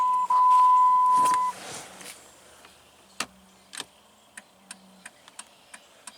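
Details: 2000 Jeep Grand Cherokee, key on, after replacing the multifunction turn signal switch for an intermittent dead left signal: short tone then sharp uneven clicks; right signal works, left still dead; owner suspects a loose connection at the switch plug.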